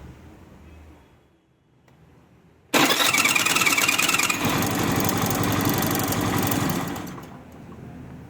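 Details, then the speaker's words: Hero Maestro scooter: on electric start a harsh, raspy whirr and gritty chatter while cranking instead of a clean spin; starter drive (bendix) under the clutch cover suspected, to be checked. "तो आपने देखा इसमें self लगाने पे कैसी आवाज आ रही है। तो आज हम इसी को चेक करने वाले हैं। तो इसके लिए हम खोलेंगे इसका क्लच कवर और इसका जो बैंडेक्स होता है उसको चेक करेंगे।"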